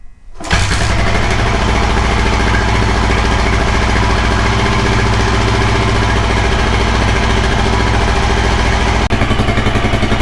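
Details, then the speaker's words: 1984 Kawasaki KLR600, kickstart-only single, cold start on choke with the ignition on: it kicks over and catches on the first kick, then settles into a steady, even thump. Normal cold start. "right, well, it started first kick. It's a good thing we had that ignition on after all."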